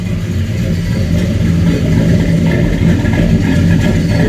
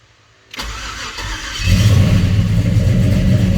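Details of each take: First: 94 Caprice, stock 5.3 LS swap on a Holley Terminator X MAX, first start: a loud, lumpy idle with uneven pulses and a slight stumble. It runs rich at air-fuel 9-10, most likely from excessive fuel pressure; a regulator is planned. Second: 94 Chevy Caprice LS swap with a stock 5.3 V8 on a Holley Terminator X MAX, FloTech manifolds, 2.5" pipe and Flowmaster 10 Series mufflers, first start: a brief crank, then it fires right up into a strong, steady idle.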